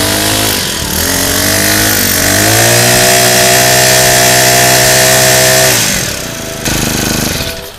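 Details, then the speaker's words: Honda GX35 four-stroke trimmer engine after cleaning, new fuel lines and fitting a genuine Honda carburettor in place of an aftermarket one: revs up cleanly, holds a steady buzz, returns without stumbling. Normal running, fuel flow restored. "OK，那我们装完新的化油器上去啊，你看它的这个油路的顺畅度马上就恢复了，哦，整机的运转也都很顺畅，哦，"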